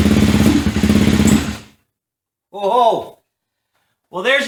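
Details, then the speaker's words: KTM 450 dirt bike unrun for over 10 years, first start attempt with a new spark plug and fresh petrol: it catches, runs briefly with a ragged, uneven beat, then dies. The owner hopes it smooths out after running. Rough running, stalling. "first startup needs to run a little while maybe get smoothed out let's try it again"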